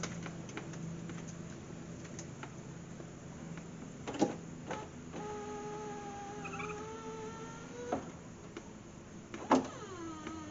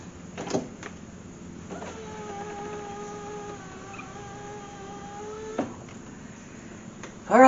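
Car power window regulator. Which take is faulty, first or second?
first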